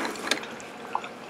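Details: Keurig 2.0, about two years old, with covers off: two soft isolated drips in a quiet room, a slow leak from the bottom traced to a brittle, disintegrated high pressure relief valve.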